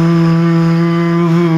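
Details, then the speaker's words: Upgraded 300W heater blower motor fitted to refurbished heater box of a Mk3 Ford Cortina 2-door GXL: steady smooth hum at one pitch, no wobble, rattle or vibration; very well balanced, running normally. "I like that noise it my first make by the way no vibration very very well-balanced"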